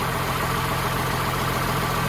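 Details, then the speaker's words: Humvee with a swapped-in Cummins diesel, just started in the garage and smoking: a steady, even low rumble at a constant idle with no misses or knocks, a healthy idle. "start her up and see what she says and hopefully we don't die from exhaust fumes in the process sounds good sounds like a runner"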